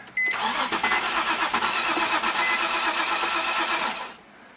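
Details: 2006 Nissan 350Z on jumper cables with a replacement NATS antenna fitted: steady cranking at about three turns a second for four seconds with no firing; crank no start, immobilizer blocking start.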